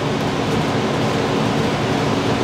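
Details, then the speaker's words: 2017 R-Pod 179 RV propane furnace turned on at the thermostat: even, steady rush of air over a low hum with no rattles or squeals as the blower runs; normal furnace blower running. "so what we're gonna hear is the furnace kick on us in a second the fan will come on"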